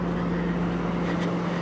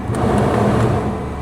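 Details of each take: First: Old police car, parked for years, at idle: smooth, even low rumble with steady hum, no knocks, misses or hunting; healthy settled idle. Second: Parked-for-years police car, 115,000 miles at last oil change (February 2022): steady idle with rough low rumble and faint whirr, unchanged with AC on; power steering fluid full, tensioner or idler bearing suspected, not confirmed; accessory drive noise.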